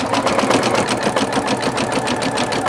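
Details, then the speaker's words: Singer Futura XL 550 sewing machine after fixing a loud rattle from the bobbin area: even quick stitching rhythm with clean needle ticks, no rattle or clanking; normal running. "did you hear that there's no more rattling the problem has been resolved no more clanking and that bobbin no more rattling"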